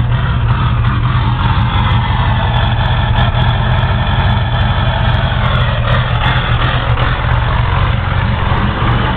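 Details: Ford 6.0 Powerstroke diesel cold start after sitting about 10 hours at 75°F: heavy clatter at cold idle with uneven, lumpy low rumble; owner suspects bad injectors or glow plugs, unconfirmed.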